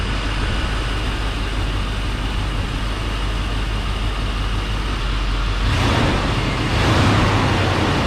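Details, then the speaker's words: 1991 Chevy Silverado OBS small-block V8 with 399,000 miles, restarted: low, smooth, even idle rumble with no ticking or knocking, slight rise near the end; quiet for its mileage, sounds healthy. "This thing does have 399,000 on it. It's pretty freaking quiet for it."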